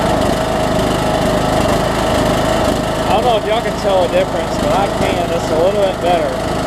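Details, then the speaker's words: Troy-Bilt Bronco, Briggs & Stratton 18hp Intek single with Chinese Nikki-copy carb, low-side jet just drilled out, air filter off, low fuel; idle still rises and sags mildly, surging only slightly better, lean carburetor suspected. "I'd like a little bit better than it is I sell that yeah as he is but I'm not really a fan of how much it's surgeon"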